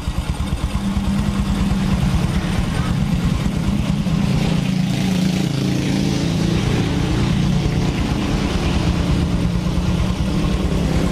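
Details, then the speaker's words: Honda Supra X 125 motorcycle on a road test after an engine repair: steady, even low drone with a smooth firing rhythm and no knocks or rattles. Engine still smooth after riding. Normal engine running. "tuh ini kondisi mesinnya habis kita berserat berserat pun masih tetap halus ya toh kita teman-teman dengarkan"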